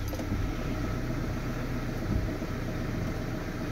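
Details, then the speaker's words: Ford Transit Connect diesel on a warm morning, third start attempt (hunts on cold mornings, glow plug light flashing): smooth steady idle without surging or hunting; normal idle. "now she's running fine now trust me cuz it's a warm morning and that's the third time I've tried to start it should run finally all day absolutely brilliantly"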